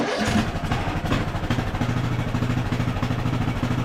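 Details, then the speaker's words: Craftsman LT1000 riding mower single-cylinder engine after carburettor needle and seat work, running without upper shroud and air filter: catches quickly, even steady putter with no misses or surging; normal idle. "But that sounds great so far."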